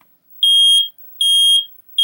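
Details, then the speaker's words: Household smoke alarm tested after a new battery was installed, test button said to test the whole system: three loud, high-pitched beeps about half a second each, evenly spaced in a quiet room; normal test tone. "That. That when I do that, that tests the whole entire..."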